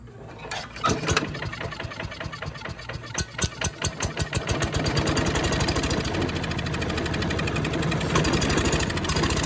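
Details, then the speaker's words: Yard Machines chipper with a Tecumseh engine, found discarded and pull-started by rope. It runs a few seconds roughly on a squirt of starting fluid, then dies. Spark, compression and timing are good but there is no fuel delivery; the carb and a petrified fuel line are next. "okay well we got spark we got compression we got timing we don't have fuel so i think we know what's next"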